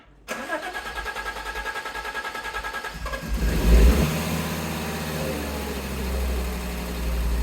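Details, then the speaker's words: Fiat Coupe after fixing fuel pump connector not touching pump pins: cranks briefly, catches, settles into steady even idle and revs without cutting out; slight exhaust noise at front, owner thinks exhaust pipe may need replacing. Normal start and idle. "well it hasn't cut out yet sounds okay actually a little bit of um an exhaust noise coming from the front there so it might want a new exhaust pipe on it well it revs it doesn't sound too bad"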